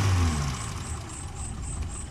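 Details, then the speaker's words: Suzuki Carry Extra engine after replacing one dead spark plug that caused shaking and misfire: low, even idle with steady beat, no stumble or shake; runs smoothly on all cylinders. "yang penting sekarang sudah enggak goncang dan mesin bisa langsam ini RPM nggak ada setengah lur dan memang mesinnya masih stabil ya masih bisa langsung"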